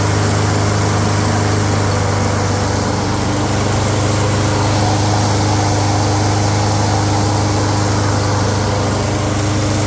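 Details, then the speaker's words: Toro 22 Recycler mower after freeing a stuck wheel on the plastic-wheel/metal-gear drive: steady single-cylinder drone with drive engaged, grinding gone; drive still weak, may need cable tension adjustment. "But, uh, all that grinding noise is gone cuz that thing's not stuck in there. It's working."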